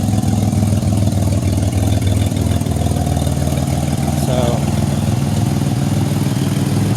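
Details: 2007 Pontiac Grand Prix after AEM E85 fuel pump install with 6AN fuel line and ZZP stainless filter, idling after a highway drive, warm: smooth, even idle with a steady low beat, no tapping, surging or misfire; normal healthy idle.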